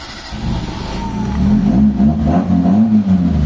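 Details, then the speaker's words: Mitsubishi Lancer 4G13 carbureted engine with hard starting and fuel filter emptying; after basic fuel-hose troubleshooting at the carb it cranks, catches and picks up into a steady run, normal start. "Umandar na mga bossing. So painitin natin konti tapos papatayin ko."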